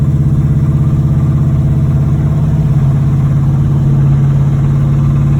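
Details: 1986 Chevrolet Monte Carlo SS V8 at idle, driven about three days with a bottom-end knock: a heavy, regular low thump under the exhaust in step with engine speed. Oil pressure good but below normal. Rod knock.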